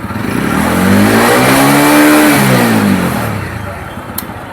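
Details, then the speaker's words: TVS vehicle with ISG silent self-start, after troubleshooting the self-start problem and confirming battery charging: catches and revs smoothly, then settles to an even steady beat; starting and running normally. "तो हमने अभी check भी किया इसकी battery भी proper charging हो रही है। गाड़ी प्रॉपर स्टार्ट हो रही है।"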